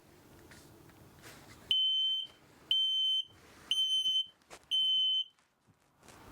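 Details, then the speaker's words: 2024 Jayco Greyhawk XL 32U Class C motorhome on Ford E-450 chassis, propane leak detector test button pressed indoors: loud shrill beeps about half a second long, roughly one per second; this is the alarm for an actual propane leak. "So we'll press that to see what it sounds like. That's what it sounds like if there's an actual propane leak inside your motorhome."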